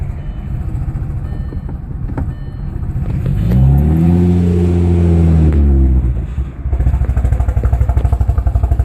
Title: Audi B5 S4 cold start misfire